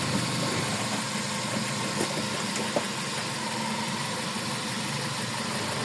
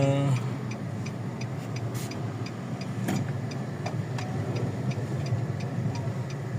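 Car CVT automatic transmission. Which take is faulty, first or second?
first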